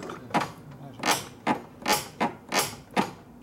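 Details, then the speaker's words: 1975 Harley-Davidson Shovelhead during a tune-up, clutch release worked by hand: about six crisp, even creaking clicks in three seconds; clutch releases properly and will not drag. "that's how it's supposed to be so over here you can release it release good when you just pull the clutch in so that's not going to drag"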